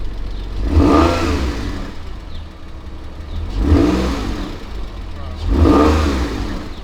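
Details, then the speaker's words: Crash-damaged 1999 Porsche 911 (996) flat-six, first start in about 12 years on old gas, no coolant: three clean throttle blips rising and settling to steady idle without misses or knocks; normal revving. "sounds decent one is all right uh we're not going to touch anything because we're not going to leave this running cuz again no coolant"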